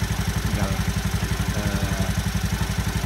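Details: Honda Beat FI scooter after CVT service (worn rollers, leaking crankshaft seal slipping belt caused weak top-end power): steady regular low putter at idle, about four beats a second, no clatter or hunting; normal idle.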